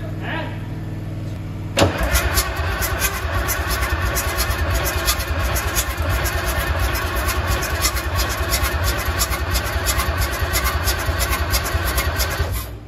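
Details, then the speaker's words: 1972 Freightliner cabover diesel truck, first start attempt after 27 years: starter turns the engine about eleven seconds with a lumpy, uneven churn, smoking heavily but never catching; crank, no start; owner unsure throttle/kill switch position is right. "Turn it over and see what happens. Woo! I'm nervous as a cat. This thing smokes a lot when you turn it."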